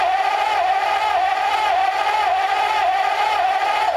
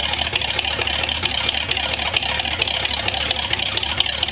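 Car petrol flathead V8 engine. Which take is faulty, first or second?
first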